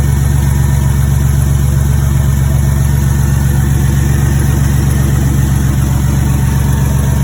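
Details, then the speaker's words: Turbocharged 4.3L V6 GMC S10 (Syclone/Typhoon-style build) at first start before warm-up, deep even idle that sounds like a V8, steady and smooth with no knocks or misses; normal idle. "sounds pretty good sounds like a V8 sounds good"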